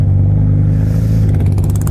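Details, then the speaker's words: Yamaha R1 (5PW) with Coffman slip-on, servo delete and K&N filter, still warming up: low, lumpy, uneven idle with some clatter; owner suspects idle speed set too low and plans to turn it up. "It's idling. Yeah, it's idling like shit. The engine's still warming up, so maybe it gets better."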